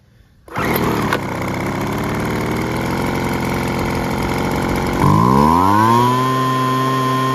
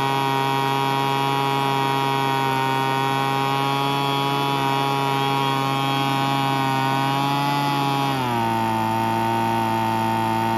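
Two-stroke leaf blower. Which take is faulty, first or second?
second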